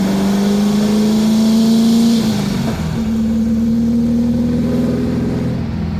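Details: 1977 VW Brasília 1600 after cylinder-head repair, converted to dual Solex 32 carburettors, on a road drive: strong, clean pull with the note climbing smoothly through the gears and no misfires or knocks; healthy acceleration.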